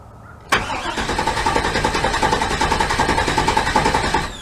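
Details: 1998 GMC truck after replacing coil and ignition control module (cam sensor replaced earlier): starter cranks evenly about four pulses a second for nearly four seconds, never fires; crank no-start.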